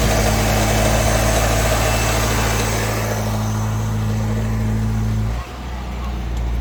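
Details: 1989 Ford Mustang Fox body 2.3L four-cylinder 5-speed convertible with no-crank: starts, steady smooth idle with even low beat, no misses or knocks, then switches off cleanly.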